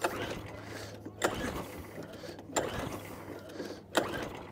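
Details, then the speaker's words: Atco Balmoral cylinder mower engine, pull-started on choke with fresh fuel after water trap refitted and fuel tap on: three pull strokes ~1.3 s apart, each whirring down without firing; cranks but no start, owner suspects carburettor. "We get nothing there. It could be a carburetor problem."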